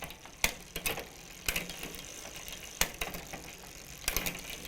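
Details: Huffy multi-speed bicycle with Shimano rear derailleur after tightening the limit screw: light ratcheting freewheel ticks and crisp clicks as the chain drops into each gear, no grinding or skipping; shifting normally.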